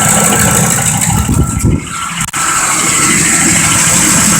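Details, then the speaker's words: 2005 Ford Expedition 5.4L V8 with a faulty transmission forward clutch: an uneven, misfiring idle whose exhaust pulses stumble and sag, barely running under load in drive and worse back in park. "Alright, this engine is obviously misfiring. It's hardly running on its own when you put it underneath a load."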